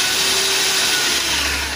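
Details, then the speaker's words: Bolde Super Mix Turbo mixer on 220 V after motor and gearbox repair, run through speeds 1–5 and turbo: steady, even high-pitched motor whine easing down as speed drops. Fully fixed, normal, no burning smell. "Wah, keren banget, sembuh total, alhamdulillahirabbil alamin. Normal banget dan nggak ada bau-bau gosong."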